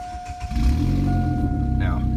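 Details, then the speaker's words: 2008 Saturn Astra XR 1.8L that bogged at about 1500 rpm with low power and stalling: with the first catalytic converter flange loosened to relieve back pressure, the engine revs freely but with a loud, raw exhaust roar from the leak. "louder now because the flange is loose but as you'll hear as you'll see before I was going I get about right about 1500 made it bogged down and dropped down to zero"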